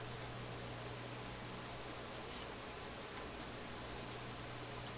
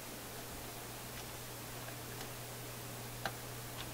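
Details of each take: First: Philips F3C 30A console stereo receiver, with the B+ brought up after reconnecting a red wire while isolating a crackle and pop: only a soft even hiss with a faint hum, and no crackles. The output is quiet and clean. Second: Philips F3C 30A tube console stereo receiver, sections de-energized to isolate crackle: faint irregular ticks and a sharper pop over steady hum and hiss in the speakers; intermittent speaker clicking from bad connection.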